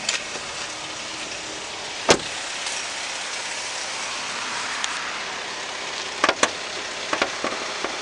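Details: 2012 Holden CG Captiva, LE9 2.4 engine, 6-speed manual FWD, 99,291 km: even, quiet idle with a steady hiss and a few sharp clicks from handling; no knocks or misses, engine sounds healthy.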